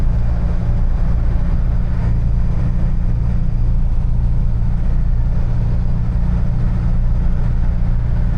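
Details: Niva test drive on the highway after gearbox repair (some gears replaced, 2.5 L 80-90 oil added) at 92,351 km: steady low rumble and even engine drone, no gear whine, clunks or grinding; gearbox runs quietly.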